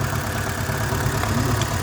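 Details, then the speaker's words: VW Gol with burnt oil, idling: a low, uneven, shaking beat with no clear knock. Owner plans to strip the oil pump and use proper oil. Rough idle. "E então, olha, tá tremendo bastante, olha. Bastante mesmo."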